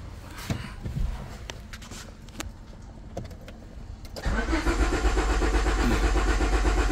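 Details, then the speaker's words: 2001 Honda Civic that cranks but won't start, no green key light on the cluster, immobilizer suspected, no codes: starter whirs steadily at about four turns a second with no firing; no injector activation. "Okay no tengo activación de inyectores verdad"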